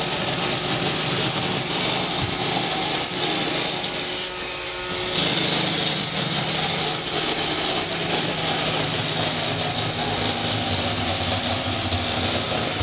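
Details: iRobot Roomba 560 robot vacuum on hardwood floor: constant high buzzing rattle with busy clatter throughout; loud rattle on hard floor, quiet on carpet, noisier than a Roomba Discovery on same floor.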